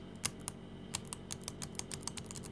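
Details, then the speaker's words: Used laptop keyboard: some keys give a gritty, crunchy click and press stiffly while neighbouring keys are clean; about 70% likely a past liquid spill, or possibly heavy dirt under the keys, suspected but not confirmed. "если вы слышите вот такой вот хрустящий звук на некоторых кнопках может и 1 может три может половина клавиатура такой хрустящий звук могу с 70 процентной вероятностью утверждать что здесь была за литья"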